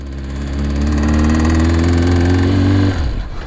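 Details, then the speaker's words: 18-year-old Triumph Daytona 600 while riding, after power loss and rising temperature: steady drone with a light rattle on top, then stumbles and cuts out; new rattle, rider suspects top-end or valve damage. "i think to the top end maybe i don't know because it wasn't rattling before i had that initial there you go he's doing it there you can hear it"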